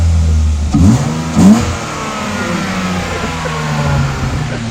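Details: BMW E30 started just after the ECU was refitted, having juddered badly before. It revs up briefly, then settles to an even, steady run with no stumbling or misfire. It now runs normally.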